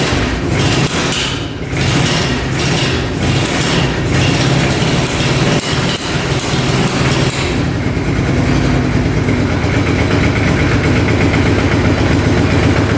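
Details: 2005 Kawasaki Prairie 700 V-twin ATV, stored for years, choked: a few rough cranks, then it fires and settles into a steady, even idle with no knocks or misses. Normal idle, burning old oil off the pipe.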